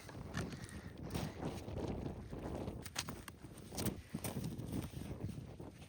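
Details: Kohler KT17/M18 engine on a Cub Cadet, starter removed, flywheel turned slowly by hand: irregular light clicks as the connecting rod moves around its crankshaft journal; loose connecting rod knock.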